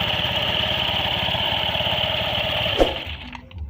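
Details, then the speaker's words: Honda Scoopy scooter CVT opened and running after lubricating the clutch-unit bearing that caused rough rumbling and vibration at 30–50 km/h: even whir and steady engine beat, no harsh noise; normal CVT sound, road test to follow. "Tidak ada suara. Suara seperti ini adalah hal yang normal."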